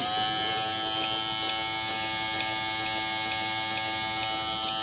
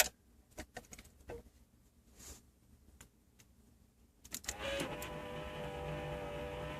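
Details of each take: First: Okay, smooth as silk, no smoking. It's good to go. Ready to go. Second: Aftermarket power antenna motor on a lifted truck, heard inside through the panel with radio on: after a few clicks a strong steady whine starts and holds, far louder than the stock unit; owner wants to return to stock.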